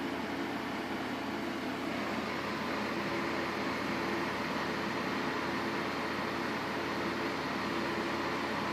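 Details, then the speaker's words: Xclio A380 PC tower after rebuild, with an 80 mm heatsink fan replacing a 70 mm one: soft even airflow from the rear 120 mm fan, taken from an Apevia power supply, with a gentle steady hum, no ticking or buzzing. "Very nice breeze coming out of that 120 there."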